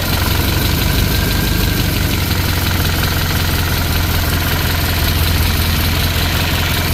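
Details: 1963 Chevy Impala small-block V8 being started during valve lash adjustment: a heavy idle with an uneven, rapid light ticking over the rumble, from loose valve lash; afterwards slightly quieter, with a leak elsewhere blamed for most of the noise.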